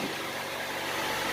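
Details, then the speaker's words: Honda CR-V freshly started after an engine reseal with valve lash rechecked, idling: quiet, steady hum. The prior tapping is gone and the valvetrain sounds properly adjusted. "and listen how quiet it is it's not tapping no more"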